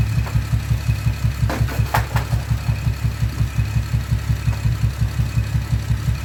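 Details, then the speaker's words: Camaro with aftermarket exhaust at idle, code confirms cylinder 5 misfire; steady boom-boom pulse near three a second with a dead cylinder; suspected failed ignition coil, to be checked by swapping coils. "hopefully it's just keeping it idle and knowing we can hear that is obviously misfiring. It's gonna be obviously fixed, so we can hear it boom, boom, boom, boom, boom."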